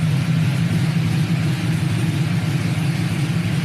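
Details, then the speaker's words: 1999–06 Silverado/Sierra V8 after head gasket replacement and a BTR Stage II truck cam install, single-in single-out Flowmaster exhaust, no check engine light: deep, choppy, rolling lope at idle with no knocks; normal cammed idle. "we lopping we are loping [Music] hear that crunchiness oh man that's only single in single out flowmaster effect imagine if i ran through duels but this thing sounds killer"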